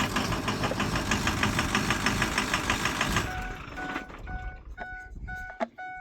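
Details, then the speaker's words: 2004 Ford 6.0 diesel idling evenly with steady injector ticking after glow-plug warm-up and restart, chime in background; the oil-change shop had reused the oil filter cap, starving the high-pressure oil pump and injectors (hard start, miss); much better after replacing it. "A lot better. Or there was a violent miss. Oh, that's so much better. Yeah, so it was definitely starving the high pressure oil pump, and that was starving the injectors, so then it wasn't hitting right."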